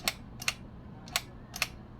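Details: Spring-wound 8mm vintage movie camera, wound with the winding key, shutter button pressed for single frames: four crisp, separate clicks about half a second apart, each clean and quick. Single-frame release working normally.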